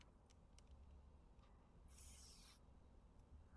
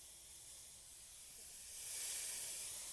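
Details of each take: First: HVAC system under vacuum: hose fitting deliberately unscrewed, short soft hiss as outside air at atmospheric pressure rushes into the negative-pressure line, losing the vacuum so it must be pulled again. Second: HVAC charging hose connected but only cracked very slightly at the fitting to purge air before charging; soft steady hiss swelling a little until liquid refrigerant appears, then closed. Normal purge.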